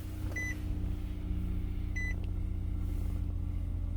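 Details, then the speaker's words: 2012 Nissan Murano with blown head gasket, the day after adding K-Seal Ultimate following overheating and full cooling-system part replacement: two dash chimes, then the engine catches immediately and settles to a low even rumble; normal start. "he didn't hesitate he just started hey guys this is Thursday case Hill was added uh Sunday evening this is Thursday let's see is on it's all good on Thursday"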